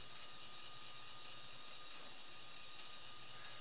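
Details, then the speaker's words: Old bathroom ceiling fan: a steady airy whoosh with a thin constant ringing tone from its loose, corroded metal dust cover plate resonating. The ringing stops when the plate is held by hand. "so this plate here resonates"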